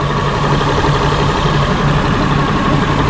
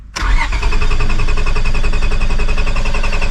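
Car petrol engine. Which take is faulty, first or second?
second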